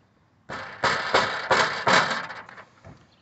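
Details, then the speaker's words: Skoda Octavia A5 pre-facelift, rattle from under the rear bumper: tinny metallic clatter in quick bursts, like pans; loose exhaust heat shields, not the catalytic converter. "когда машина прогревается звук кастрюль из под машины больше не катализатор вот именно вот эти тепло экраны"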